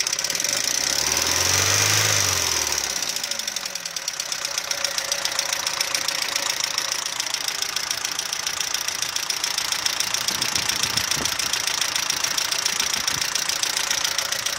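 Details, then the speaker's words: Audi 80 B3 warm idle, light regular knock three to four per second, calmed somewhat once warm; owner suspected lifters or oil pump; teardown found scored bearings from weak oil pump and low oil pressure, requiring engine overhaul. "Либо масляный насос не отрабатывает свое, не создает давление. Сейчас поеду к мастеру замерять давление."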